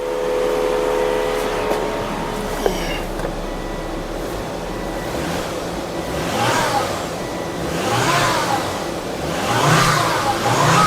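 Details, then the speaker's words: 2004 Volvo S80 2.5T revved after a cam seal replacement for an oil leak: three smooth blips with a faint turbo whistle as the turbo spools, no knocks or rattles. The engine sounds healthy, though oil may still be misting. "Let's wrap on her. Sounds good. Sounds smooth, actually."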